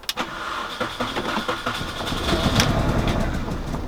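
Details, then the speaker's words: Ex-company-car Mini Cooper R50, bought as a salvage auction car with engine management light on: engine catches and runs unevenly at start-up with stumbling pulses and no steady beat, sounding like several misfires; cause not yet identified. "It sounds so rough when you start it up. Sounds like this."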